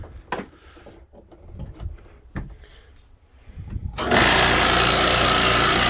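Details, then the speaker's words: Typical small air compressor, used for comparison: after handling clatter it kicks on with a loud, steady, buzzy hiss and chatter; normal running. "so that's pretty typical small compressor like that sounds like that"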